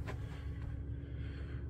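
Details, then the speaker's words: Diesel heater running in a van, heard near the pump and inside the van, after a longer rubber connector hose replaced the stiff polyamide link that carried pump ticking into the chassis: soft low rumble, no clicking; normal running. "but there is no clicking noise even here you can you can't really hear it and it's basically silent here in the van"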